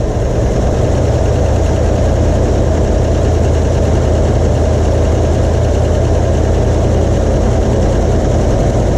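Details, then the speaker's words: 1977 Ford F-250, 351 Cleveland V8, revived after sitting: loud V8 runs rough with an uneven lumpy beat; old stale fuel still in the system suspected. "still got all that old fuel in there trying to come out just a little bit"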